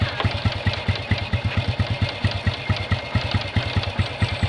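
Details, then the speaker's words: Honda Revo motorcycle that kept fouling spark plugs, after carburetor cleaning and reassembly: uneven, hunting rough idle; mixture judged too rich with the air screw too closed, fixed by opening it 1.5 turns and lowering the idle; rough idle. "Ini setelan minyaknya terlalu rapat ini kayaknya teman-teman ya, nggak ada angin."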